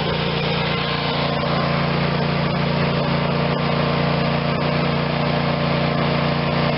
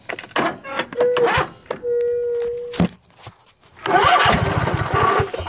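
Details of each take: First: Craftsman YS4500 tractor, Briggs & Stratton 22hp Intek OHV twin, after full carb cleaning and intake reseal fixed running only on choke: steady even hum, constant pitch, no stumbles or surging, running like a new machine. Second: Craftsman YS4500 tractor, Briggs & Stratton 22hp Intek OHV twin, sat a couple of years, on jumper pack: stumbling starts then rough, surging running; runs well only with choke mostly on, indicating carburetor restriction from sitting.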